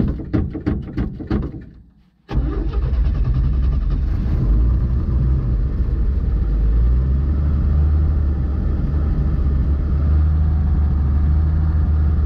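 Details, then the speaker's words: 1952 GMC mega truck six-cylinder with some ports plugged: catches after short crank, fast steady idle that never settles, estimated 1,000–1,500 rpm; high idle, cause suspected, not confirmed. "It still sounds to me around like 1,500. Well, I'm thinking it's around 1,000, maybe 11 or 12, but that 6-cylinder in these tires, I think you're going to need a little extra."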